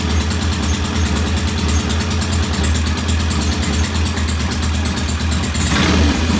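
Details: Norton P11 vintage British motorcycle twin, first start after carburetor fully disassembled and old dead gasoline replaced with fresh; uneven, stumbling idle with irregular beats and a brief rev at the end; one carb's pilot jet not following adjustment, suspected partly blocked.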